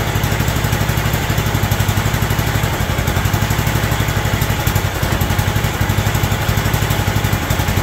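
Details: John Deere LT160 Automatic mower revived after years outside, running from a fuel funnel: even steady single-cylinder thump, no hunting or misses, holding speed; healthy idle.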